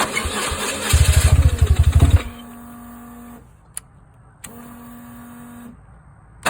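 Starter chugs about three beats a second for a second or so, then quiet with only a faint whir; the engine never catches.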